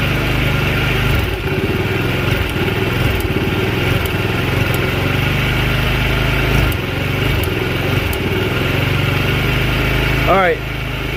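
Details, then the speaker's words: Scooter with new carburetor, jump-started: uneven, lumpy idle with surging beats and a stumble near the end as it nearly dies; stalls when throttle is opened, owner suspects valve problems and bad fuel. "can't give it too much throttle at at all or it'll just die that tells me it's probably got valve problems that need to be addressed"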